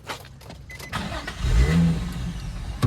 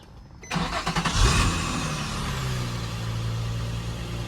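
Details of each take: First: Drift car started after heavy rain: engine catches with rough uneven low rumble, sags and dies within seconds; stalls from water ingestion. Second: Drift car after replacing a rain-soaked, stuck-together air filter: quick crank, catches within a second, brief flare then steady even idle; clean normal start.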